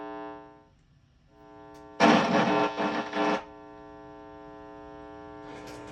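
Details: 1980s Marshall Lead 100 Mosfet amp, powered up on the bench with an open input jack before repair; steady low buzz with even overtones and a burst of crackle from dirty pots midway; hum, cause not pinned down.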